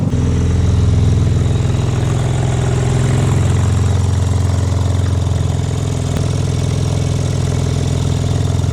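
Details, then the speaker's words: Crash-damaged BMW M4 Competition after full rebuild, idling just after coolant fill and first start: loud, deep, steady drone with heavy low rumble. Exhaust still due to be swapped out; loud exhaust noise. "Yeah, about that sound, I still need to get the exhaust swapped out."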